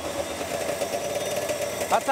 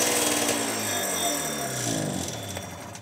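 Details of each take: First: Snowmobile two-stroke at its first start after the carbs were gone over and fresh fuel was added; a steady mid-pitched buzzing drone with no knocks or misses, running evenly and healthy. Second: Snowmobile two-stroke, first start after going over the ultrasonically cleaned carbs: rough, uneven beat for about three seconds before it dies; still running poorly, fault not yet found, carb screws to be adjusted next.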